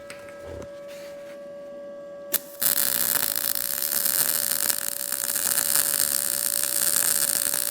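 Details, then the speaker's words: Arccaptain MIG200 MIG welder turned up to 155 on auto-set, welding sheet metal after earlier welds ran too cold: arc strikes and settles into a steady, even bacon-frying crackle; correct MIG welding sound, wire speed and voltage right. "you want to hear what you were hearing before that that bacon frying sound like if you're Mig welding that is how I set machines"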